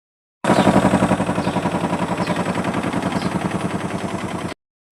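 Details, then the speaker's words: IFB 18 kg washing machine banging loudly during spin, about four thumps a second. "మీలో ఎంతమందికి మీ washing machine ఇంతలా sound వస్తది దీనికి గల కారణం నేను ఈ వీడియోలో మీకు చెప్పబోతున్నానండి"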